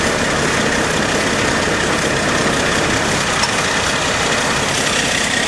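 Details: AMC Eagle carbureted engine after nutter bypass, vac advance moved to manifold vacuum: steady, busy idle held too high. Owner suspects choke issue (electric choke possibly on backwards) or a vacuum/intake manifold leak; any throttle goes full throttle.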